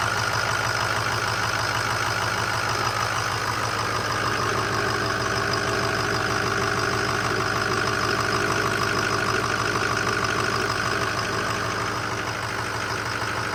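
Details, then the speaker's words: 2005 Ford F250 6.0 Powerstroke diesel idling with the fan off, brought in for a progressively worsening front-end vibration and rumble: constant low growl and faint whine that persists; bearing play felt in the water pump snout, pointing to water pump bearing rumble. "still hearing the noise it's not quite as deep a tone but all right so we still heard the noise with it running obviously"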